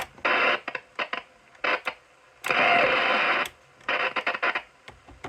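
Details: Pearce-Simpson CB radio after cleaning and reconnecting microphone and wiring: bursts of hiss and static through the speaker; receiver picking up again though reception patchy, needs more tuner cleaner.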